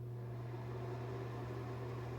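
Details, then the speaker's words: NuTone bathroom exhaust fan after cleaning and greasing: steady low hum with an even airy rush, no rattle or scrape; far quieter than the loud hum before the fix, normal running. "as you can see that's way quieter than it was"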